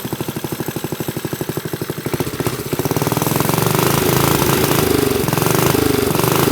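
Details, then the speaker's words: Briggs & Stratton minibike single-cylinder, on choke: thumping turns into harsh, uneven chatter as revs climb; sticky clutch engaging too early, suspected missing or worn springs, not confirmed. "heard that the clutch is engaging itself way too early and chattering so I'm going to pull this off and see what's going on"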